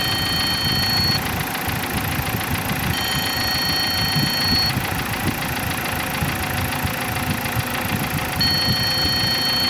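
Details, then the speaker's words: Dodge Caliber, believed to be a 2012, at idle. Fast, uneven metallic ticking over the engine hum with a faint whistle. Codes had pointed to the cam sensors, but the diagnosis is timing chain rattle. "ya tenemos básicamente un diagnóstico de que el problema lo tenemos en la cadena de tiempo"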